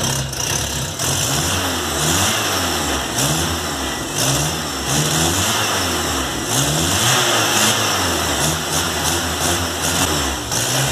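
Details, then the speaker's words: VW Golf Mk3 single-point injection: idle hunting and stumbling with uneven surges and dips about every second, misfiring at idle; faulty idle air control actuator, problem fixed. "aqui ó atuador de marcha lenta o carro falhando só como vocês puderam ver a introdução do vídeo trabalhava demais"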